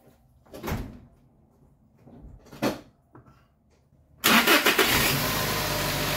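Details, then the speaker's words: 2019 Toyota Tacoma 2.7 L, fully cold start after replacing belt, tensioner and idler pulley: couple of thumps, catches cleanly into an even idle with no metallic chirp; belt drive healthy after repair. "y bien como se pudo ver arranca de manera completamente normal Eso es lo que queríamos"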